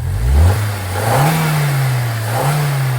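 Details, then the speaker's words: 2016 Hyundai i20, abandoned non-runner, after attempted fix: under full throttle revs rise then sag and hunt unevenly, won't hold revs and keeps dying out; fault still undetermined, no engine lights on. "I'd say that's fixed well no it's not it's dying out again now you accelerating yeah foot on the floor"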